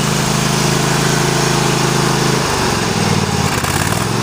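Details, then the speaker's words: Kohler CV740S V-twin (about 25 hp) on Sears Craftsman tractor, running in cold weather after new engine breather plate and gasket fixed oil leak; steady even drone settling to lower speed midway, no misses or knocks, no leakage. "Running great. Absolutely great."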